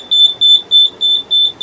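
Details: Flour mill (atta chakki) grain-level alarm with LDR sensor and relay: six even high-pitched beeps, about three a second, over a quiet background as the sensor triggers.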